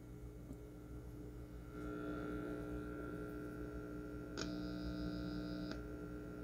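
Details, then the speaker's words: Lexicon MPX 1 multi-effects unit (1996) being probed on the left channel: a steady low hum with a faint higher tone at pin 32 (negative input, left) that swells when touched; the negative input is suspected. "and remember on the left side we heard humming"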